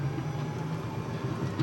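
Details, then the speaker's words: EZGO TXT golf cart after fitting an AUTONOMAX lithium battery kit, driving forward. Steady low motor hum with a faint even whine and no straining or clunks; the cart no longer labours and pulls smoothly. "Et là, on sent en plus que le véhicule ne force plus. Au niveau des côtes, ça va changer beaucoup."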